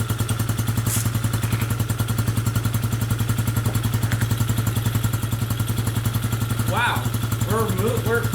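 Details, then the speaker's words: Coleman AT125UT ATV, just started after a no-run repair, cold and needing warm-up; small single-cylinder idling with a sharp puffing tick on every firing pulse from a big exhaust leak at the header, to be tightened. "starting now and we got a big exhaust [Music] leak because I hear it out of here yeah I'm going to tighten up that exhaust"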